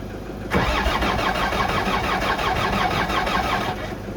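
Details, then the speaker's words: Land Rover Discovery 2 TD5 diesel after cleaning oil out of the ECU restored crank signal: sluggish steady cranking about three seconds, never catches, reading only 120-150 rpm with booster supply hooked up; still cranking too slow, no start. "So the RPM now reads 0 and then it goes up to 120 or 150 with the Fortuner hooked up. So it's still cranking too slow."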